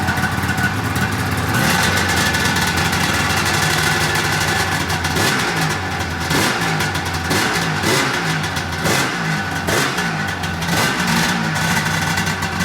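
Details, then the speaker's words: Polaris RMK 800 snowmobile two-stroke during teardown rebuild: raspy buzz climbing and falling through repeated throttle blips, crisp with no misfire, sounds pretty good; track still not turning, brake suspected. "Jumping up when I hit the throttle, it's fucking hilarious. So it actually sounds pretty good."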